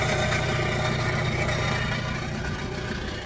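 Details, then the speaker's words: 1996 VW Passat TDI, jump-started and idling: steady diesel clatter under a loud, raspy exhaust roar, so it needs a muffler; ticking expected to fade once warm; alternator suspected dead, putting out 11.87 V. "okay so apparently we need a muffler it's not a big deal"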